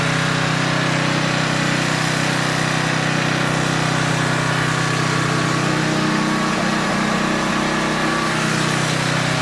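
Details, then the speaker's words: Older Tecumseh 10 hp engine on a 4,000 W generator with adjustable carburetor jet, carrying a 1500 W load at about 62.4 Hz; steady, unwavering drone with no sag. Normal governed run under load. "It's running smooth. Usually, it'll dip down a little. It did not budge one bit."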